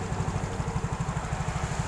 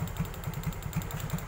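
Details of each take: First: Yamaha Mio scooter that used to jerk and stall on the road, after fuel pump replacement: small single-cylinder engine holds a steady, even idle thump with no stumbling or cutting out; normal idle. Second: Yamaha Mio/X-Ride scooter that stalls suddenly while riding, held at throttle: low, uneven thumps with irregular gaps, hunting and rough. It is sometimes normal, sometimes not, then dies; ignition judged normal.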